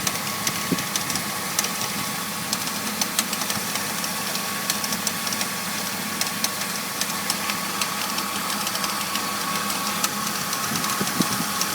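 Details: BMW E46 325i idling with irregular light metallic ticks and rattles over a faint whine, source unclear; appeared after replacing the pulleys, serpentine belt, radiator and power steering pump.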